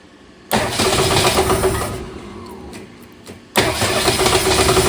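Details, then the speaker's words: 1962 Ford Falcon with freshly swapped replacement engine, running rough at first start: tinny, echoey knock on each revolution that gets louder as the engine rotates, suspected to be something hitting the oil pan. "So, this engine's I mean, you heard the knocking sound, but it's very tingy and echoey. So, it sounds like it's something hitting the oil pan because it gets louder as the uh engine rotates."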